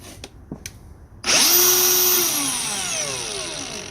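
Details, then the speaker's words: Brand-new Milwaukee M18 CAG125 125mm brushless angle grinder after running free a while, warm with hot exhaust air: high steady whine easing as it runs; improving, owner suspects motor was just tight and bound up from new. "Maybe the little brushless motor was a bit unhappy to start for the first few times. But yeah, it just seemed really, really bound up and tight."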